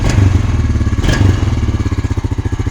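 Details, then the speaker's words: Honda Rancher ATV, 1,400 miles, first start after six years in storage: single-cylinder steady thump at idle, with crisp, quick throttle blips that settle cleanly; very responsive. "holy cow this is such a good engine that is crazy first pull again it only has 1,400 miles on it so responsive"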